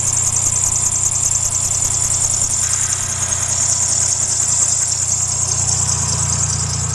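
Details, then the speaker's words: 2007 Dodge Nitro idling: constant shrill high squeal with a slight warble from a worn belt tensioner/idler pulley, which is to be replaced. "all right you guys hear that noise that noise is driving me wild"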